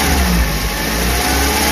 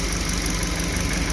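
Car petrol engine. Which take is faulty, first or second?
second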